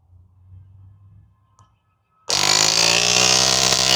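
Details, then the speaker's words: JF.EGWO 6250A jump starter's built-in air compressor (rated to 150 psi) running with hose attached: silence, then a steady buzzy hum and quick even chatter, not too loud; running normally. "You guys can hear it. It's not too loud. It sounds louder probably to you guys. I'm not sure, but it's not too bad."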